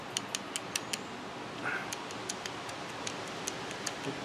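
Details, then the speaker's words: Acura NSX driver's-side OEM trunk hinge, removed and worked by hand: light sharp ticks and clicks, quick then slower and uneven. The hinge is worn with up-and-down play, so the trunk sticks up on one side and isn't flush with the rear fender. Fix: replace with new OEM hinges. "I mean, it's got play, it's moving. It's moving up and down, so it's not holding my trunk down all the way, so it'll stick up on one side. So that's where the culprit is."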